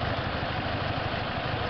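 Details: A Toyota Hilux/Tacoma 2.7 L 2TR-FE petrol engine idles with an uneven, lumpy pulse and shaking after a head gasket change. A ticking comes on revving. The owner suspects a misfire or wrong cam timing; this is not confirmed.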